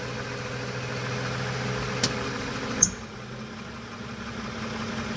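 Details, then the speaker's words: 2014 Toyota Sienna idling in gear with right front wheel removed while gears and brake are switched; one dull clunk as the brake is released and the engine rocks, from a loose top engine torque mount, not the wheel. "Every time when I heard the clunk, I thought it comes from the right front wheel when in fact it comes from the engine top mount."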